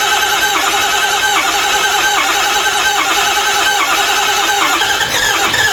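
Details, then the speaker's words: Ford 6.0 Powerstroke diesel with ZF6, sat nearly a decade in woods, cranking after glow plugs with a poor-sounding fuel pump: long crank, thin squealing starter, ragged catches firing on only some cylinders, smoking heavily; hard start. "off all right that's a good sign it's firing on some cylinders I'm going to run the glow plugs again and the injectors"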